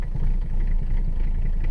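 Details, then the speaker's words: Mercedes 300CD diesel, long abandoned, started after waiting on the glow plug relay: it fires right up and settles into a steady, even low rumble on all cylinders. Normal start and idle, though a knock follows later, possibly from the missing exhaust. "fires right up like a dream not really building much oh there's the rpm we're on all cylinders now boys"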